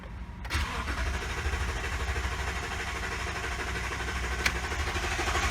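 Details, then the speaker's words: 2018 Toyota Tundra 5.7 V8 after replacing failed fuel pump: starter churns steadily about four seconds with no catch despite cycling key to prime, needing extended crank to build fuel pressure, then starts and runs great. "I tried to cycle the key to prime it a few times but it still seemed like it just had to have an extended crank in order for it to build up enough pressure to get it started"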